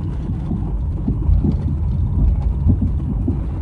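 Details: 2007 Subaru Tribeca B9 driving over bumps: low dull thuds, almost like a bad strut, under road rumble; suspected worn front sway bar bushings, later replaced with poly bushings.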